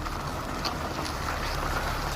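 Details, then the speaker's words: 2012 Kia Mohave (Borrego) at 277,000 km, driving and turning after the wheel hub spacers were removed to cure a tick-tick noise from underneath: steady low road and tyre rumble with no ticks, still quiet the next day; fix worked. "이제 소리가 안납니다이 작업을 어제 했는데 오늘까지 소리가 나지 않는 것을 보니 성공인 것 같습니다"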